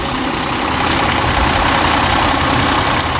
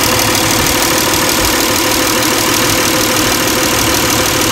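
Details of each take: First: 2002-2006 Toyota Camry 3.0L V6 warmed up, ECT sensor connector plugged back in, idle around 700-800 rpm and lower: even, settled dense rumble with no hunting or surging; normal warm idle. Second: 2002-2006 Toyota Camry 3.0L V6, warm idle around 700 rpm, ECT sensor connector pulled and replugged: idle smooths when connected, hunts and stumbles more erratically when unplugged; erratic idle from unplugged coolant temperature sensor.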